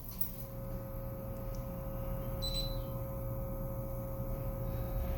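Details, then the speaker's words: Fire alarm audio system with no microphone, paging line hardwired into a spare AC transformer and heard on a monitor: a steady low 60 Hz mains hum with no useful signal. "you hear that 60 cycle hum that's not what he's looking for it helps but here's what he's looking for"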